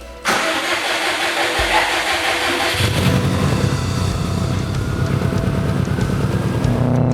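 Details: Subaru Forester with newly built forged EJ257 engine, first start after install and oil priming, before 1,000-mile break-in: cranks briefly, catches cleanly, settles to steady smooth idle without misses or knocking; sounds healthy.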